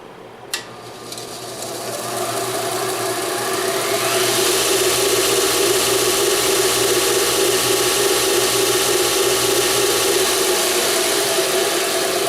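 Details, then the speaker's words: BUCKTOOL dual-speed belt sander/grinder, claimed 3/4 hp 4.8 A induction motor, run on high speed: the motor hum climbs slowly over about four seconds to a steady high whir. No bulging capacitors were seen; the owner suspects the induction motor design is why it spins up slowly. "so it seems to take a little while which is kind of strange I don't see any bulges here for capacitors it does say it's an induction motor possibly the reason but it seems to take a little bit of time to wind up to full RPM"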